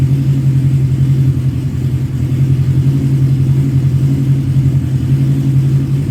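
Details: 1985 Kawasaki GPz 900 Ninja, revived and slightly warm, four-cylinder: a strong, steady low drone with even firing and no knocks or rattles, sounding healthy, though a coolant drip leak showed up afterward.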